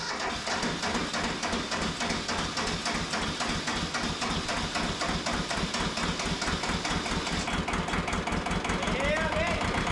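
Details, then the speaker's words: Mitsubishi MT372 diesel tractor running, with a loose injector line found, on a nearly dead battery: steady low idle about three to four beats a second with clattery top end. "We'll get back to you guys when we get back, but, hey, we got it running. There's a dang loose injector line down there."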